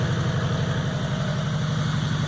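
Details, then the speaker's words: Ford F100 with 4.6 Crown Vic V8 swap, first run on only one connector for the fuel pump, exhaust only through the cats: steady, even low burble with a regular firing pulse, no knocks or ticks; normal idle. "frickin run hooks up right now but sounds good only on the cats"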